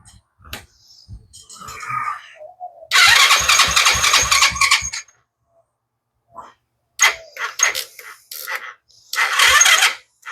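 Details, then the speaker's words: Children's TaoTao 125 automatic ATV that sat unused, sluggish uneven cranking in short bursts that never catches; battery too low and needs charging, trickle charger recommended. "Sounds like the battery needs to be charged."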